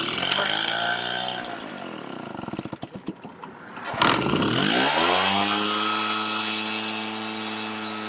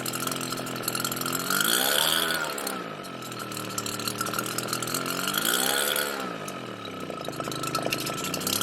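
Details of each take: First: RedMax EBZ7500 backpack blower two-stroke, after fresh fuel, aftermarket Chinese carburettor and smaller kit fuel filter: stumbles and cuts out briefly, then refires and holds a steady, even drone, running properly. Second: RedMax EBZ7500 backpack blower two-stroke on cold start with original carburettor: engine speed swells and sags about every four seconds, a hunting surge; runs and dies despite Sea Foam and cleaning, carburettor suspected.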